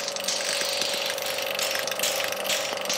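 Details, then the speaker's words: Vacuum pump for testing lapped BMW N54 valve seats. It is switched on with the hose open and reads only 20% vacuum, just sucking through the hole. Steady hum with light irregular clicking; pump running normally. "So you can see there it's come down to 20% vacuum, and it's basically just sucking through this hole."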